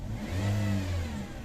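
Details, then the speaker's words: 2017 Toyota Vios, before repair, engine warmed up: heavy low steady drone swelling briefly, louder than a normal engine hum; oil pressure light comes on, oil pump suspected, not confirmed. "kung mapapansin may Ugong yun ang ingay talaga Grabeng Ugong niya Ang ang pagkakaalam ko yang Ugong na yan e d sa oil pum mismo sir"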